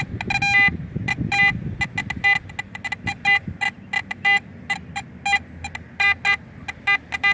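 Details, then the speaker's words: AT Max metal detector with sniper coil, sensitivity turned high, in a park: short clear high-pitched beeps repeating about once a second, solid 73-74 reading on a very shallow target about an inch down; solid repeatable signal. "it is got a 73 74 solid so we're gonna saying we got it it's really really shallow probably about a inch below"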